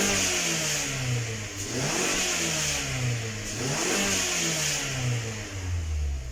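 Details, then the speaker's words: 2019 Mazda 6 GDI with P0300 random misfire, after replacing fuel injectors, running about 10 minutes: smooth, even revving with no stumble or popping; only slight misfire left on cylinder 1, possibly from old plugs or deposits. "فالآن عندي ما شاء الله تبارك الله حدود الآن 10 دقائق السيارة شغالة، ما عندي مس فاير إلا في سرندل رقم 1 وشيء بسيط يعني يعتبر رقم 1 شيء لا يذكر"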